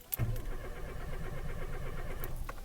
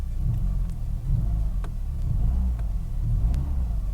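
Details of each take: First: Renault Clio Alize 1.4 with a Siemens 32 ECU, cranked in neutral with the clutch in: steady rhythmic starter cranking for a couple of seconds, but the engine never fires. A crank no-start condition. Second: Renault Clio Alizé 1.4 with a Siemens 3.2 ECU, running after a temporary crank-no-start fix; the coolant temperature sensor is still faulty. A low, steady rumble swells as the throttle is blipped. It revs freely with no misfire or knock; normal revving.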